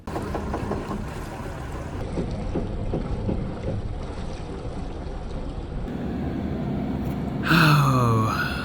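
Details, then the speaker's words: Boat port engine in reverse, noise not from the engine room: a low rhythmic rubbing about three times a second under the engine rumble. "And then we started hearing this noise only when our port engine was in reverse. The good news is it wasn't coming from the engine room."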